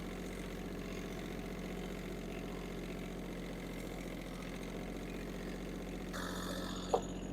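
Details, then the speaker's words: Yanmar AF-170 mini tractor (17 hp, 4WD diesel, 122 engine hours), started after warming the glow plug, clutch depressed and a little throttle: it runs at a steady, even low idle with diesel chatter and no knocks or misses, a normal idle. "Так, гріємо свічу, вижимаємо щеплення, трішки газу і, в принципі, заводимо. Завівся тракторець. Чудово."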